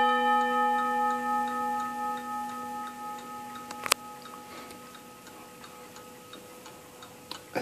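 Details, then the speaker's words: 1948 Seth Thomas Westminster chime tambour mantel clock: clear ringing chime notes dying away, then an even tick about once a second; chiming and running normally. "that Seth Thomas chime sounds like Big Ben doesn't"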